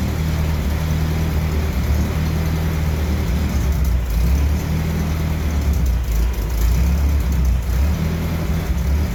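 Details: 1968 M151A1 military jeep engine, running on the lift, still needing a fuel pump and carburetor rebuild: deep, steady note rising and falling as revved, no knocks or misses; normal running.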